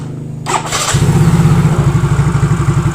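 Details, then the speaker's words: Yamaha Mio Soul GT fuel-injected scooter after replacing the bad injector with a new one (fuel pressure about 40 psi): starter whirr, then catches and settles into an even, steady idle with no stumble or misfire; normal idle. "ya berarti kan normal ya guys tidak ada kendala apapun"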